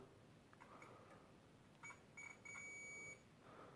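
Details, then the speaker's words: Philips Brilliance 220SW (HWS9220I) monitor board with a backlight fault: probe scratches, then a steady continuity beep across a zero-ohm resistor, which is normal. "and there of course you have also some of these i think these are zero ohm resistors they beep as well but i think this is normal"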